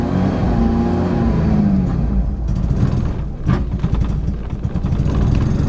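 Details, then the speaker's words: Mazda RX-7 FD rotary, street-ported rebuild 30k ago with parallel turbos, started after sitting on a new battery, cold: hunts and stumbles at idle, needing throttle; rough idle that improves once warmed. Tachometer not working. "starts okay so it's got hard time keeping idle right now"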